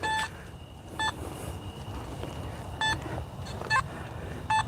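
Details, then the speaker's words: Metal detector swept at night around a playground metal structure while coin hunting; short high beeps at uneven intervals about once a second as the coil nears the structure, a response to large metal rather than a coin. "Okay. That's all metal structure there."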